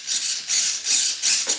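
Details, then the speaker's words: Durafly P-40N RC plane, 9g elevator servo bench-tested via receiver, LiPo and Durafly 45A ESC: about four quick, crisp high whirs, each stopping cleanly without chatter or buzz; servo sweeping normally. "No, there's not much to see, but you can hear that the elevator servo works"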